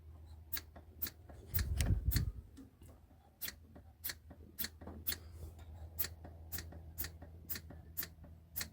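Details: Rover P6 being recommissioned, chokes held open, starting trouble: the hand primer lever on the fuel pump gives light, sharp clicks about three or four a second, with no sound of fuel being drawn. The primer is not delivering fuel, cause suspected.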